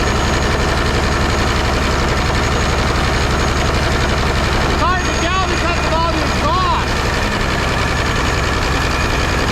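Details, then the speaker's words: Peterbilt 359 diesel started after sitting 20 years, new fuel filter fitted: loud heavy diesel roaring steadily with no response to throttle; a runaway, suspected to be burning oil from the turbo seal, little blow-by, air leaking and smoke nearby. "yeah cuz if you jump straight engine oil into the engine it'll run away it's running on [Applause] something"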